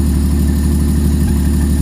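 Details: Nissan S13 with a 400hp RB25 on a Power FC, running for the first time after the intake manifold was refitted. Deep, steady idle with evenly spaced pulses and no misses or knocks; a normal idle.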